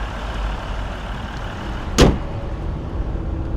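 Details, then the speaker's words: 3-liter diesel on a test drive, accelerating after intake P2279 and turbo underboost codes: steady, even low rumble with one soft thump and no knocks or rattles. Pulls well and sounds healthy. "Well, it gets up and goes pretty good. Yeah, sounds real good."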